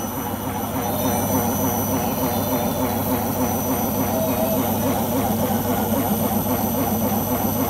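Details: Beko washing machine on its last legs: steady loud roar through the whole spin with faint pulsing about three times a second; owner suspects rubber behind the drum, unconfirmed.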